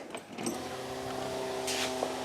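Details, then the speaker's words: 1982 Ford Granada revived after sitting for many years, key on with the engine not running and a temporary battery: quiet, steady electric whir of constant pitch as the fuel pump primes; leaks were later found at the pump and filter. Normal fuel pump running. "i turned the key and the fuel pump came on and squirted a bit of gas in there"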